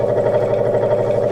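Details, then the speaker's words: Sears Craftsman 23" two-speed scroll saw under restoration, first run: steady, even mid-pitched motor hum with no knocking or rattle; normal running. "Anyway, let's turn it on. Oh. Okay. That's not offensive."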